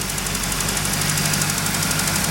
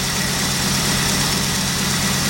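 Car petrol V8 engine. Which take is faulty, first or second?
second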